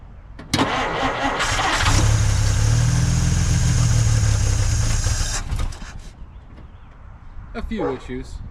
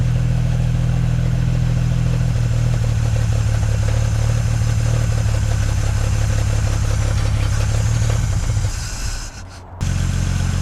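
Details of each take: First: Dodge Meadowbrook, after swapping to a 6-volt battery to solve generator issues: starter drags over sluggishly for about a second before the engine catches; slow cranking on the lower six-volt supply, ammeter happier, strong fuel smell. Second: Six-cylinder engine in a 1950s Dodge Meadowbrook on a 6-volt battery, carburetor primed with gas: a low, steady, even beat with a smooth idle and a brief dip near the end, no knocks or misses; oil pressure and generator gauge fine.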